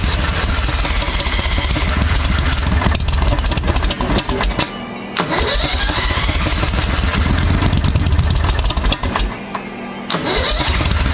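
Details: 1992 Club Car golf cart with a V-twin Briggs engine, after a CVTech driven clutch replacement, having sat for six months: repeated long cranking bursts with pauses before it finally runs rough; a slow, hard start. Cause suspected, not confirmed.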